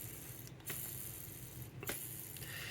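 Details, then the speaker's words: Old skateboard bearing, ridden 2-3 miles daily, hand-spun after alcohol cleaning and drying: rough, gritty ratcheting rattle instead of a smooth quiet spin; worn bearing suspected. "You can hear that. It's not the greatest sound you want to hear. If they're brand new, you definitely don't want to hear that sound, but these are old."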